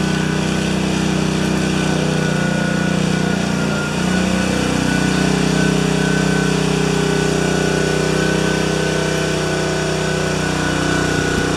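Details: Walk-behind mower, repaired earlier for a loose coil and bad rewind, with its self-drive belt tightened and RPM raised slightly. Smooth, steady high-pitched drone with no misses or surging; normal running.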